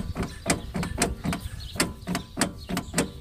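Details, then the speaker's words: Ford Explorer transfer case, turning the rear and front outputs by hand: sharp uneven clunks about three per second from a sloppy, stretched chain slapping inside, worse at the front; chain being replaced. Stretched transfer case chain. "got a lot of slop and play in it I'll do that I'll do that same thing to the front drive shaft here you can hear it even worse up here it's just should not be able to turn it like that"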